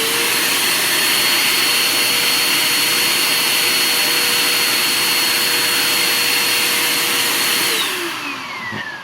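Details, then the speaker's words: Bissell Powerforce Compact upright vacuum, first run with the filter still badly clogged, about 45 CFM airflow: steady, thin high motor whine that winds down at the end; clogged filter, reduced suction. "let's see if this thing goes at all and you know the filters down here still pretty clogged - all right here it goes nothing"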